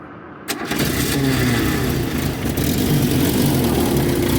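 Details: VW Parati AP 1.8 engine, recently rebuilt, after roadside fix of a loose bolt that caused a strange noise and sparks: quick crank and catch, settling into a steady, even run with no knocks.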